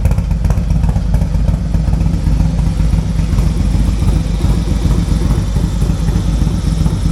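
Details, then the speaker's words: 2024 Harley-Davidson Road Glide M8 with a .520 lift cam, tuner, air cleaner and Fuel Moto Jackpot 2-into-1 exhaust at idle: deep, throaty, lumpy loping idle, running steadily with no knocks or rattles; healthy cammed V-twin. "they have the same cam shaft the same tuner the same air cleaner but they have different pipes let's go ahead and see what the Fuel Moto pipe sounds like"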